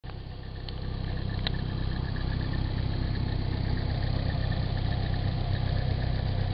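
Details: Stock-engine Nissan 240SX with 160,000 miles at idle: a steady hum with a light, quick metallic ticking about four times a second; the owner wonders whether it is the timing chain hitting its guide or the water pump, unconfirmed.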